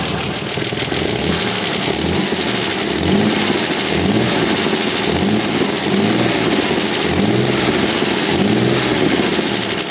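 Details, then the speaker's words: 1977 TVR 3000M, 3.0-litre Ford Essex V6, warm idle: a quick, uneven puffing tick of about three or four per second, heard from below. It points to an exhaust leak plus noisy valves, worst on cylinder 3, needing clearance adjustment. "The other thing I can hear is that there is a leak in the exhaust. You can hear it all the way below there."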